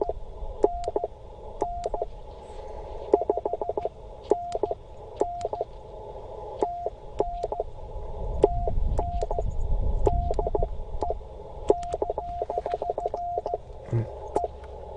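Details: Bamatech CW paddle key during a 20 m POTA activation, adjusted tighter the day before: ragged sidetone with stuttering and missing dits between clean dahs; key misfiring, possibly from being adjusted too tight.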